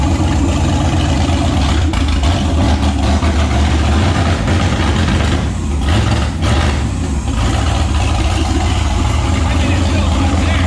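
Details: Turbo 5.3 LS V8 Mustang build, first successful naturally aspirated startup after fixing a weak-battery starting issue and swapping the passenger-side injector harness wiring; steady low rumble settling into an even idle, no misses or knocks, normal idle.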